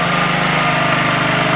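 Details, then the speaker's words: Champion 4375/3500-watt generator after a thorough carburetor cleaning, started on the fifth pull and filled with used motor oil: steady, even drone with no surging or misses, voltage output working; normal running. "That's a shock. It's running relatively smooth."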